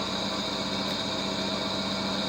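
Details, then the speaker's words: Vintage HPA wheel balancer, probably Danish, early 1960s, running with no added weight and not bolted to the floor. Steady even mid-pitch hum with no wobble or thumping, only some vibration from being unbolted; zebra disc quite stable. Normal balanced run. "We do not have any extra weight in it, so it should be quite balanced. And there it goes. Of course, this has not been bolted to the floor, so there will always be some some vibrations."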